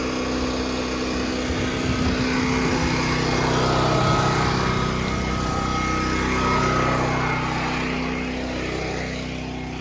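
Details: Westinghouse WGen9500 DF generator, just past break-in, running a 4-ton AC/heat unit with no soft or hard start kit: a steady, strong drone under heavy load, only a slight sag and recovery, no hunting or stalling.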